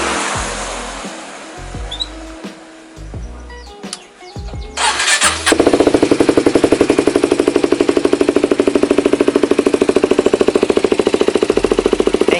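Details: Kawasaki Ninja 250 SL Mono (KLX 250 engine) that ran out of oil: fast, even, clattery tick; cam tensioner checked fine, mechanic suspects crankshaft; finding camshaft and cam journal wear.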